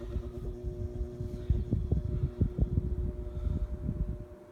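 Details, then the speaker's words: Old GE 12-inch two-speed table fan on low, drawing about 0.83 amps; steady low hum with soft even drone and slight mic buffeting, gentle breeze, motor runs smoothly and healthy. "okay it's gentle breeze on low it's a nice low for a table fan these things are prone to be powerful I think runs beautifully"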